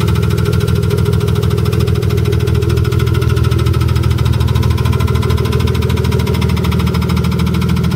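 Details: BMW E30 with E36 M3 S52 engine, hood closed: fast even ticking about three per second over steady idle; knocking/ticking in the top end, cause not yet found.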